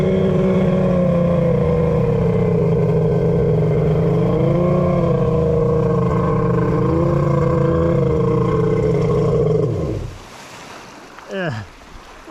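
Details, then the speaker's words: Kawasaki 1100 triple X2 jet ski with a custom-made cylinder head, tight squish and a worn crankshaft, running very hot. Steady two-stroke drone then a sharp drop as it nearly cuts out. Bogging; loose connection or leaking domes suspected, grounds checked good. "kind of almost just shutting off I'm gonna open the hood and take a look in might be it's gonna say it might just be a loose connection"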